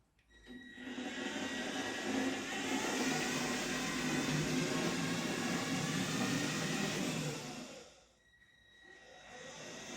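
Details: Blue Mini Cooper S RC car while driving: high-pitched electric motor whir with a faint regular knock about three a second; steering geometry ruled out, blue tack on front suspension deadens it; owner suspects bent back axle, not confirmed.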